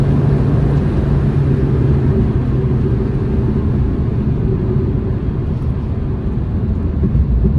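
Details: £200 trade-in Mini Cooper on its test drive, given a few revs on the road; smooth low engine drone swelling and easing evenly, no knocks or rattles: normal engine revving.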